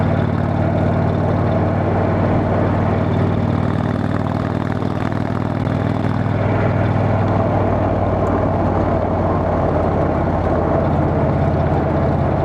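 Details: Motorcycle riding home after failed exhaust gasket replaced, bike still needing a tune: steady even low drone at cruising speed, no puffing or ticking; exhaust leak fixed.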